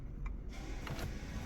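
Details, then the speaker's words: Volvo S60 rear electric parking brake calipers after pad and rotor replacement, exiting service mode via scanner: soft low electric whirr running steadily over a second as motors return to normal position; electric parking brake motor retracting normally. "and now we're going to go exit the service mode and then you should hear those Motors going back into their regular"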